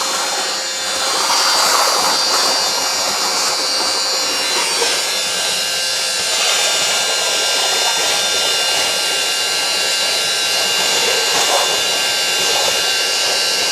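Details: Worn wet-vac motor used to mop up spilled coolant in the workshop gives a steady, shrill, hissing howl with no low end; it sounds strained but keeps running, slow but working.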